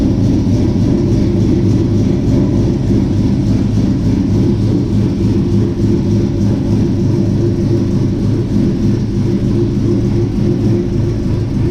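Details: 1967 Chevy C10 V8 with Holley Sniper fuel injection, idling after sitting about 23 to 25 hours; deep steady even burble, smooth, normal idle.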